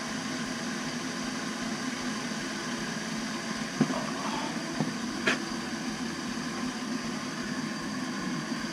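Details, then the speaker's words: Navien NCB 240 combi boiler just after circulator pump replacement, refilled and purged at 20 psi: even, quiet running hum with a couple of light clicks; the new pump is quiet; normal operation. "and you can hear the pump is nice and quiet now someone go run some domestic hot water make sure we're good"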